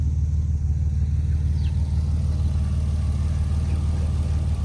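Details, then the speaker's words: Abandoned wrecked Toyota Supra Turbo, long-sitting: engine settles into steady even low rumble with faint rhythmic ripple; slight noises suspected as rust on belts and fan moving, otherwise runs well. "Okay. Well, it runs good. I hear some noises, but I think it's just the rust from the belts and the fan moving around."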